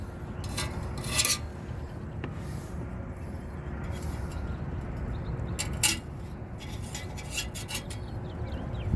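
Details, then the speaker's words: Lennox rooftop unit heat exchanger, old unit removed for replacement: gritty loose rattling and clinks as the part is moved, rust flakes loose inside the rotted, pinholed exchanger with visible seam damage. "So you can hear all that rust inside of there."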